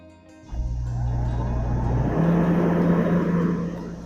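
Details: Furrion RV rooftop air conditioner, fan refitted and shroud bolted down, on a few-second test run checking for rubbing: low steady hum rises and settles into an even drone, no rubbing or scraping; running normally.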